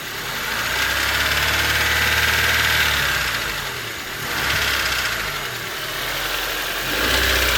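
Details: Honda Civic D16Y8 engine, warm idle: light even tick about four per second, mainly when hot, started suddenly; no power loss, 185 psi compression on all four cylinders, valves already adjusted; source undetermined.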